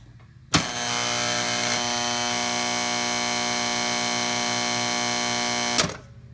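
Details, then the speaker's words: Cutler Hammer CN35NN3 contactor, customer complaint of noise: loud steady buzzing hum with harsh rattling chatter from switch-on until switch-off; contactor chattering, cause not yet found. "you can hear this contactor you hear the noise it's making how noisy it is a lot of lots of chatter to it"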